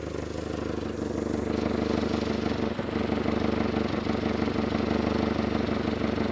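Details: Mitsubishi Galant, warm idle after an overheating fix. A fast, uneven ticking puff with a slight wobble in rhythm sits over the engine note, typical of an exhaust leak. The car runs a little rough but is no longer overheating.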